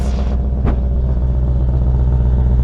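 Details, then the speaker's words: 1995 BMW 530i E34 V8 5-speed, first start after over a month sitting: deep, loud, booming rumble at a fast idle, far louder than stock; exhaust sounds cut off in the center. "like the exhaust is cut off in the center"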